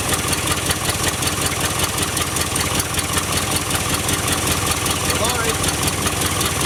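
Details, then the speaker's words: 1967 Chevy one-ton pickup, first start after purchase with a little gas poured in: loud ragged lumpy running, about two to three beats per second, stumbling; engine flooding and running rough. "well she uh runs half F there she's flooding she flooding she probably won't start now"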